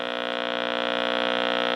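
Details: Early-1970s Graymark 511 all-band regenerative valve radio, shop-class build, found rusty with parts missing, first power-up before restoration: steady buzzy low mains hum through the speaker. Owner suspects the electrolytic capacitors need reinstalling to cure it; not confirmed.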